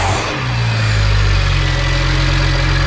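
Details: BMW 1M E82 after replacing blown charge pipe, revved with throttle blips: strong deep note rises and settles with no hiss or whoosh of escaping boost; no leaks found.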